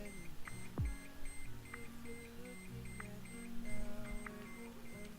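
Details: W203 instrument cluster running on a bench simulator with the apply-parking-brake warning triggered: quiet, clean high beep repeating about every 1.25 seconds; parking brake warning chime.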